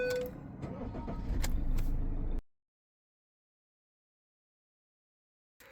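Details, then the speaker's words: Vehicle with Trackmanager tracker immobiliser, after turning the tag on: brief crank, engine catches and settles into steady idle without hesitation; normal start. "I'm going to turn the tag on. Now I can start the vehicle."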